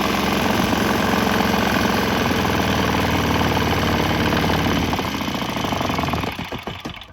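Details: Swan X 165F Chinese single-cylinder diesel vibrating, switching to used canola fryer oil: fast even clatter with heavy mount rattle, slight tempo change, then winds down as it is stopped; ran fine.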